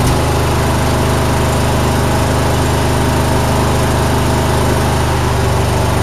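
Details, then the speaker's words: John Deere mower, single-cylinder, 472 hours, after shop fitted new spark plugs (fouled) and new fuel filter (dirty); owner thinks valves may need adjusting: loud, steady putter at even speed, no knocks or surging; normal running. "this has been a good John Deere but it said they said it runs fine so I'm just going to run it"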